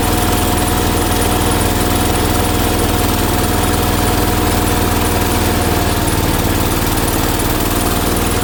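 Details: 1980 John Deere 216 tractor after restoration, on a cold morning, possibly not charging: a loud, hard, slightly uneven single-cylinder pounding as it strains at high idle. The owner plans to check specs and reset the high idle jet.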